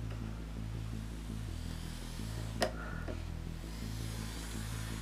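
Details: Model loco on a layout fed from the Duette controller rather than the noisy new Hornby R7229, with a soft, even low hum, faint steady pulse and no buzzing: normal quiet, smooth running.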